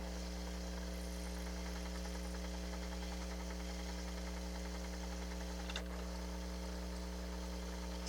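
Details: Pioneer CT-8R cassette deck rewinding with a steady, even motor hum and no squeal, a normal rewind. The same deck squealed in play from reels needing lubrication and drew high power from a faulty mechanism.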